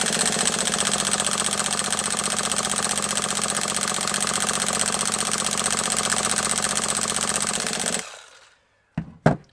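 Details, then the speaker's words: HPI nitro RC truck, after at least three years on a shelf, fresh fuel: fast, steady starter chatter cranking for eight seconds with no firing; never starts though burning nitro is smelled. "I went on ridiculously long there trying to start that just because I thought that might trigger a few of you to tell me to"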